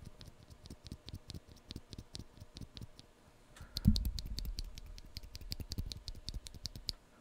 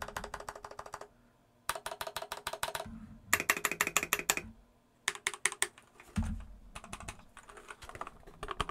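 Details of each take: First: Epomaker EP84, switch after oiling the spring, compared against an unlubed one: light, even clacks roughly twice a second, no scratchiness or spring ping; lubed switch smooth and consistent. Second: Epomaker EP84 keyboard, stock Gateron Black switches with blue keycaps: rapid uneven key clacks with a thin metallic ring trailing each stroke; stock switch springs pinging.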